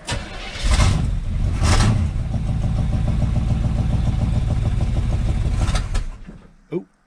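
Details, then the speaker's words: 1983 Chevy C-20 with 350 V8, first start in about 7 years on a borrowed battery, fan shroud missing: cranks briefly and fires at once, steady even idle, no misfire; fluid leaking from a pinhole; normal start and idle. "hey it's really good started right up oh gas spute everywhere"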